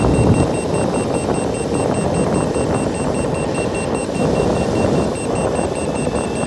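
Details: Boosted Board V2 electric skateboard with newly installed Shred lights, at about 23–24 mph: remote beeps rapidly over rolling road noise, power drops to eco mode; motor cables and motors checked fine, cause unknown.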